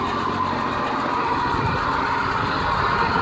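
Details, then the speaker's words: 1989 Jeep Cherokee 4.0L I6 auto running after new starter installed, replacing water-damaged one; constant even drone with no grinding or clicking; normal idle. "Hooray! Things are running again."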